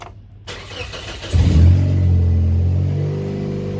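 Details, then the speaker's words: 2004 Scion xB revving with axle-back exhaust removed, exhaust not yet welded: loud, raw booming drone swelling with revs; donut gasket leaking, worse after prying on it; manifold bolts also bad, causing a tick up front. "now obviously that's really bad because the donut gasket is leaking and since I've been prayin back and forth on it it's leaking even worse"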